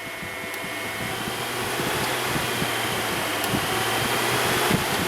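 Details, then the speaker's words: 2006 Jeep Grand Cherokee that overheats at idle, cooling fan 1 commanded on with a scan tool: airy whoosh building as the fan spins up, then an even rush with no grinding or rattle. "put on the cooling fan one enter enter I don't care what data list we will just pick the first one there or right arrow she is getting ramped up"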